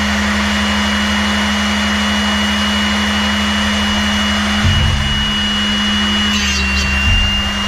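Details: Older used SRD drill sharpener grinding a non-split-point drill: steady motor hum with a light scratchy rasp as the wheel bites the drill point; sharpener cutting normally.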